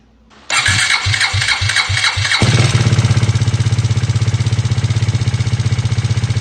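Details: KTM Duke 390 V2 after new intake and exhaust camshafts and two rocker arms; the earlier low-oil-pressure clatter came from gasket maker blocking head oil passages. Cranks about two seconds, then an even idle with a faint, normal KTM tick.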